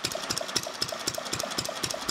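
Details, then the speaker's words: Fairbanks-Morse Model Z throttled-governor engine, freewheeling with no load, running up to speed: sharp evenly spaced pops about four a second with a ringing tick between them; normal hit-and-miss running. "so you can kind of hear this thing it'll it'll run for a little while get up to speed we don't have a load on it right now so it's just kind of freewheeling"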